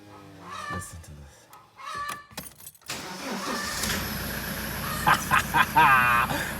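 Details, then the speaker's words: Toyota Hilux after replacing the starter motor's carbon brushes, recorded with windows open. A short strong crank, catching at once and settling into steady idle: normal starting. "one more time let me even open the windows so you guys can hear how well that starts"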